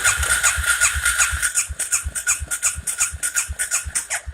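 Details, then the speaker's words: John Deere 500 ATV that won't start, compression test cranking with throttle wide open: about 90 psi versus 120-140 good, oil on plug; engine spins over with a soft uneven chuff, no firing; low compression. "good compression on this thing is about 120 to 140 obviously we have a problem"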